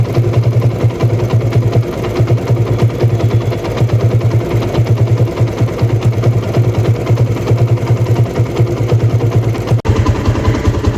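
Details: TVS Apache RTR 160 after replacing the timing chain tensioner assembly to cure engine noise: steady, low, even idle thump with a regular beat and no ticking or rattle on top; healthy idling single.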